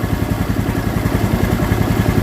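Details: Honda Vario 110 with no electrics and battery not charging, new regulator; starter keeps churning fast and steady without a button press; starter relay inside the CDI shorted, starter bendix sticking, starter jumpered.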